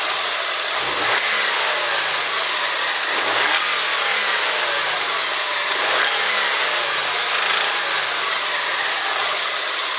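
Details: Subaru Outback EJ253 engine, damaged, before rebuild: revs up and settles several times with uneven rapping knock riding on top.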